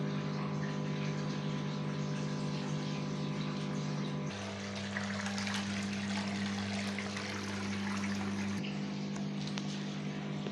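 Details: Gorenje WA50060 washing machine, recorded 2017, during rinse drain: steady low hum with water gurgling and a brief pitch drop midway; drain pump emptying the tub normally.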